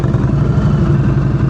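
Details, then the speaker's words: V-twin motorcycle at slow-speed practice, rider asked to let the preload be heard; steady, even, lumpy idle with no misses; normal fast idle. "Just let it idle. You hear that sound? I don't want to hear that sound when you're moving. So if you hear that sound, your RPMs are too low."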